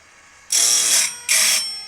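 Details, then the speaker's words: Woodland Mills RS30 Pro sawmill blade sharpener after head adjustment, at low speed: two short, even hissing grinds as the wheel passes each tooth, clean and consistent; normal sharpening. "That sound pretty good. Then you can just switch to high r high speed and it goes a little faster."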